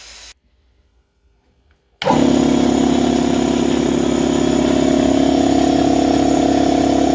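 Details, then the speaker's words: Draper 150L belt-driven 2.2kW 10-bar air compressor filling the tank from empty. It cut off at 10 bar after exactly 5 minutes. Steady, even pumping drone at constant pitch with no knocks; normal compressor running. "Right guys, so that took exactly 5 minutes and it cut off in the perfect place."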